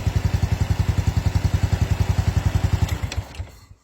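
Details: Honda Wave 110i, normal bike idling during a stator coil AC voltage test (over 3 V measured, 0.77 V minimum spec): even single-cylinder putter about ten beats a second, steady until switched off; healthy idle.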